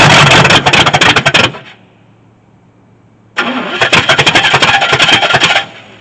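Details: 1983 Chevy C10 squarebody with Edelbrock carb, mixture screws reset to 1.5 turns out: catches and runs ragged for a second, cuts dead, fires again and fades; dies once hand-poured fuel burns off, needs an electric fuel pump.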